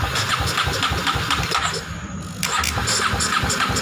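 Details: Kawasaki Ninja Fi 250R that stalls and drains its battery, run on an external fuel feed bypassing the fuel pump: engine catches and idles steadily with even pulses, showing the components are fine and the pump's 12 V signal is missing; normal idle.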